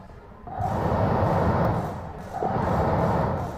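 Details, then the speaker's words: Car heater blower motor run with the resistor ground manually jumpered, switch and AC control head on. Steady airy rush that dips briefly and returns strong, with no rubbing or rattle: normal blower motor operation. "yep yall can hear that it is blowing okay the circuit is complete from the resistor to the blow motor"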